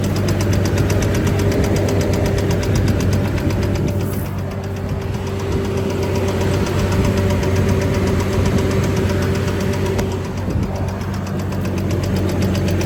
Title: 2006 Chevy Trailblazer Knocking Sound